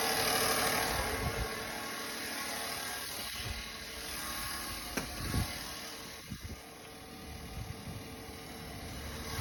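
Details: 2017 Silverado V8 idling after a DOD delete, smelling of fuel, with a light, fast tick of about four a second riding over the engine: engine ticking at idle.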